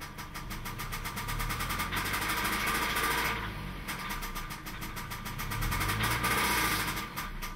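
Rapid, steady ticking knock rides on top of the idle and swells as the revs rise; a knock inside the engine, cause unknown.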